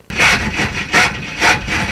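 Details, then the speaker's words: 1974 Jaguar drag car with swapped engine cranking: rough rasping grind pulsing about twice a second; the starter was found loose and falling off, dangling, then refastened. "Starter's very unhappy."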